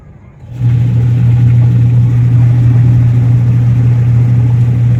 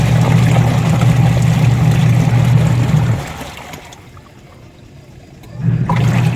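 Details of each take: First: Washing machine with a newly fitted replacement 150 W drive motor and 10 µF capacitor: loud, steady low hum with no rise or fall; motor running noisily. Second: Newly installed replacement 150 W washing machine wash motor (10 µF capacitor), replacing a noisy old one, tested with water: deep steady hum about three seconds, pauses, restarts smoothly, no grinding or rattle; wash motor working normally.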